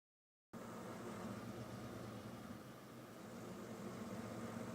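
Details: 1999 Jeep Grand Cherokee WJ 4.7 V8: steady idle with faint uneven sag and recovery, not holding level, with bad exhaust smell; owner suspects a vacuum leak.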